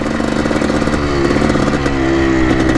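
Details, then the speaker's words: 1984 Yamaha YZ490 two-stroke dirt bike, warmed up, choke off, first test ride on the lawn: loud drone sags and stumbles in pitch instead of climbing cleanly; bogging under throttle, cause not confirmed. "take her for a test drive around the lawn click here as you can hear a pretty dank boggy"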